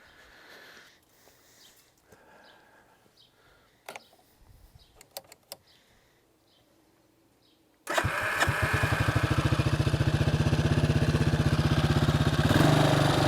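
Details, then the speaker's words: Bombardier Traxter 500 ATV single-cylinder with rebuilt carburetor, after cooling down a little while, started on the electric starter with no starting fluid: catches at once and settles into a steady, even idle around four beats a second. "all right guys I'm gonna call this a success one of my better successes as far as ATVs and stuff like that it's concerned"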